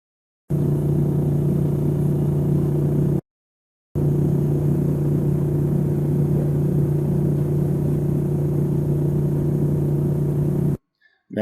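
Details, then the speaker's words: LG refrigerator: a steady low hum with a faint buzz. This is cabinet vibration, suspected to come from the unit not sitting level or firmly on the floor. If pushing the cabinet stops the noise, its feet need adjusting. "with this type of noise a lot of times if you place a hand on the refrigerator and push either left right front or rear and the noise disappears it is a good indication that the unit is not setting firmly on the floor and just needs to be adjusted"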